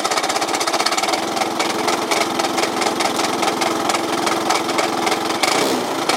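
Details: Yamaha Cygnus 125X FI (150) scooter that won't move, no drive to the wheel, belt possibly broken, FI lamp blinking at key-on: fast, hard rattling engine clatter over a buzzy running note, cause not found.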